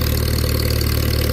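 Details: Old Farmall tractor with upgraded double-vent fuel cap at a pre-auction preview: low, even putter at steady idle, regular firing pulses, no knocks or misfires; healthy idle.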